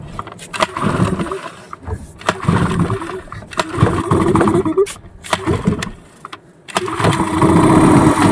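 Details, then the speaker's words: Yamaha 15 hp outboard, warm, with a new spark plug: repeated recoil pulls with brief sputtering catches that die out. It stalls when put in gear and compression comes and goes; hard starting from a clogged exhaust and stuck piston rings, suspected from lack of servicing. "Mesinnya sangat susah hidup walaupun di posisi panas."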